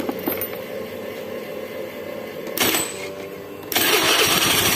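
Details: Honda Beat FI scooter whose starter only clicked "tek tek tek"; battery dropped to about 9 V cranking, started with added charger, charging 13.7–14 V, pinion gear suspected. Brief cranking, then it catches at once into an even, buzzy idle; normal start.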